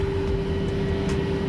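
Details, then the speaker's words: Perodua Kelisa/Daihatsu YRV turbo build (K3-VET) with a new three-inch straight pipe running to the downpipe: loud, steady drone with one strong fixed tone over a deep rumble from the unsilenced exhaust. "it is super noisy because it is a straight damn pipe three inch pipe straight all the way to the downpipe"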